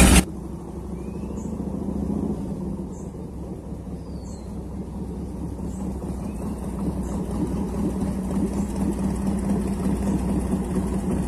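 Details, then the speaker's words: 1990 Harley-Davidson Fatboy Evo (yellow heads) after carburetor cleaning and refit. It would not start because fuel from the tank was not getting through the jet. Now a steady, loping V-twin idle with even low thumps and no misses: healthy idle. "ใส่เสร็จก็เลยเอามาเทสเขาโอ้ยเดินเบาสังเคราะห์คันนี้fatboyEvoตัวปลาเหลืองตัวหัวเหลือง"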